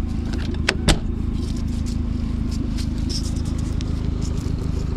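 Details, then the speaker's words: Side-by-side UTV with 171,000 miles, idling with a rough, chuffing, raspy low rumble and loose puffing from an exhaust leak up top; needs two or three minutes of warm-up before it runs well. "here you got the exhaust leak up here and other than that this is you know the biggest issue"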